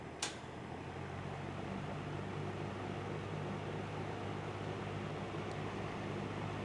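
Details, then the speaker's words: 1950s Monarch-Aire box fan model ML20M, 2.7 A motor, on high speed: steady roar with faint fast irregular rattle, present since acquired; owner thinks something inside the fan, earlier suspected grill, unconfirmed. "i think the rattle is something in the fan because it's done that since i got it"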